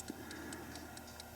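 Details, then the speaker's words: 1950 Buick Roadmaster clock, cleaned and oiled, battery connected and running 10-15 minutes: steady, even crisp ticking about four beats a second in a quiet room; running normally. "but there it is i can definitely hear it ticking right along here so as long as you keep the battery hooked up of course it'll just keep on going"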